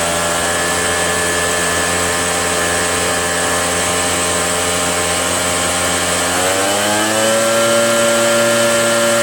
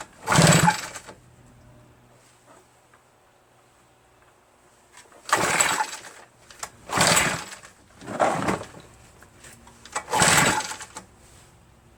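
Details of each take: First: RedMax EBZ8050 gas backpack blower two-stroke after new piston rings fixed no compression (rings very tight, hard pull, hard start): buzzing steadily at high revs, then pitch eases down and settles evenly; runs cleanly. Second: RedMax EBZ8050 two-stroke backpack leaf blower after new piston rings installed for no compression; very hard to pull, owner suspects rings too tight and lacking cylinder lubrication. Five separate rasping pull-starter bursts with silence between, never catching: hard starting.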